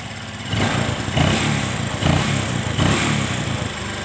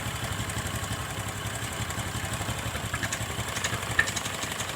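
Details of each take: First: Motorcycle carburetor with the air screw turned fully in: idle surges and sags roughly every 0.7 s and nearly dies between surges; rough idle from an over-closed carburetor air screw, fixed by backing the screw out gradually. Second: Single-cylinder motorcycle after idle-air screw adjustment: quiet, steady putter that settles back to an even idle after revving, with no stumbling or hunting; idle now set right; normal idle.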